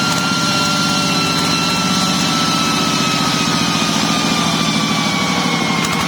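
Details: Yanmar TF105LM diesel tractor that revved by itself and would not stop, governor stuck or worn, restarted after a temporary fix. A steady, even thump at a settled idle with no surging or creeping revs; problem gone.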